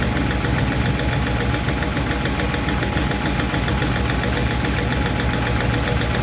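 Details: 1951 Chevy truck engine at steady idle after starting; fast, light lifter ticking that doesn't follow any load change, from number 4 intake and number 2 exhaust still clacking while number 2 intake seems okay; owner plans to tweak those two valves.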